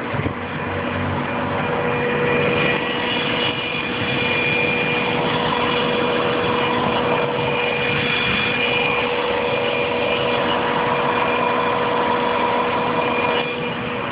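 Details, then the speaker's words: 1998 Subaru Legacy Outback 2.5L, warm idle: steady, fairly high-pitched constant whine from the bottom of the engine, intermittent, possibly only after start; owner suspects oil or water pump, bearing or pulley, unconfirmed. "almost like a pump some sort of pump that's just going to eat so i don't know what's on the bottom oil pump water pump or something"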